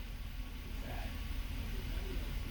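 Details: 2005 Chevrolet Avalanche 5.3L V8 after a P0300 random misfire repair (spark plugs, coils, injectors replaced): quiet, steady idle rumble with an even beat, and live data shows almost no misfire counts.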